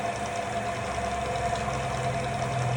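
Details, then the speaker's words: Old boring/cutter machine modified to run CNC-like, cutter head just switched on at low speed: steady, even motor hum with a constant mid tone and no knocking or chatter. Once very rough, it now runs smoothly. "Nah, selanjutnya kita pelan-pelan kita hidupkan dulu mata quarternya. Halus ya teman-teman."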